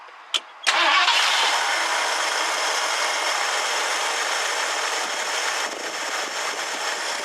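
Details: 1969 Ford Econoline van of unknown history: brief crank, catches at once and settles to an even, steady idle with no knocks or misses, good oil pressure. Normal start and idle.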